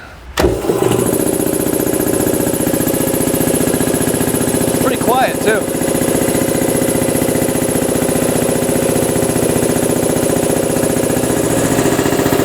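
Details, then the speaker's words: New 2015 prototype BendPak TS-5 80-gallon compressor, 5hp electric motor, cast-iron two-stage pump, about 14 amps running: steady, even pumping chug, no knock, little pipe vibration; filled to 170 PSI cutoff in 6 min 25 s. "no vibration in these pipes almost none 6 minutes 25 seconds to reach 170 PSI which is the shut off of this not bad so filled up 80 gallons and about 6 and 1/2 minutes"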